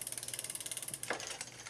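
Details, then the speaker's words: Old Cannondale bicycle after chain shortening and front derailleur adjustment, cross-chained: fast, even bright ticking (about sixteen per second) as the crank spins backward. The chain rubs and bumps the front derailleur, which is acceptable in this gear. "hear this making noise but the reason I'm ok with this is because the chain is crossed in other words it's on its deepest in there and furthest out up here"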